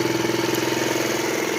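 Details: Moped scooter after a starting fault with clicking at the key was fixed; fires right up to a quick, steady, even single-cylinder putter with no misses or knocks. Normal idle.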